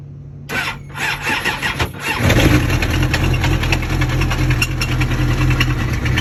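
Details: K2 Suzuki GSX-R 750: the starter cranks and the engine settles to a busy idle with a sharp metallic screeching rattle on top. The owner suspects dry pistons or bad cams; the source is unconfirmed. Metallic screeching.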